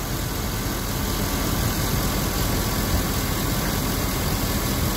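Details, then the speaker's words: Quiet, even idle after spraying silicone lubricant on a squealing serpentine belt via a tissue: no squeal or chirp; the pulley was very dirty and is being cleaned. Temporary fix. "spray a little bit of a silicon lubricant and then started the car and then I held it there started the noise is all gone already"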